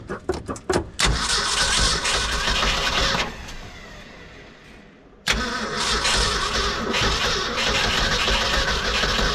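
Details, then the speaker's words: 1966 Ford F250 factory 4x4, cranked on a cold snowy morning with fuel poured into the untouched carburetor. Cranking drags and slows, then picks up again; the starter is slowing from weak battery current. "uhoh starter is getting slow and draggy let's give her a little more amps"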